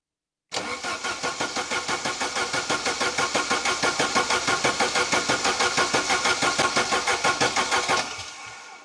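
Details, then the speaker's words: Saab 900 Turbo Commander, first start after 10+ years parked under a tarp, fuel likely not yet at the injectors: steady cranking at about three compressions a second for eight seconds, never catching; no spark because the ignition module wasn't fitted. "Oh, wait a second. I forgot to fit that ignition module. But it makes sense that it wouldn't start without this one at least."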